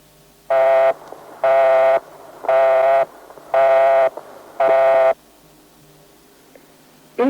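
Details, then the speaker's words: British telephone network, 1971, international subscriber dialling: steady mid-pitched buzzy tone pulsing about once a second; engaged tone, line or equipment busy, replace receiver and redial later. "hear any of these engaged tone please replace your receiver and on again a minute or two later"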